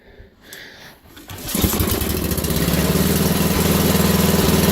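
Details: Wheel Horse GT2500 garden tractor, small single-cylinder engine cranks and catches, then settles into a quick, slightly lumpy idle that never smooths out. Rough running; owner suspects a stuck carburetor float, not confirmed.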